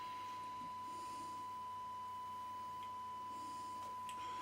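A clean, steady single tone near 1 kHz over faint hiss; the receiver picks up the weak test signal fine.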